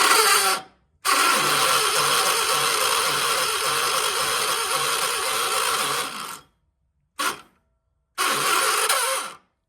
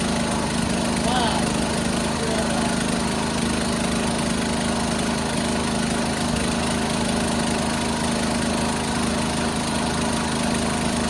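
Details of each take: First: 1976 John Deere 300, starter drive binding, owner rocking the engine back and forth to free it: the starter whirs in bursts, stops abruptly and re-engages without the engine catching; hard start. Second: 1976 John Deere 300 with a binding starter, finally started after a hard start: a steady single-cylinder chug at a fairly even beat with no misses or knocks; running normally.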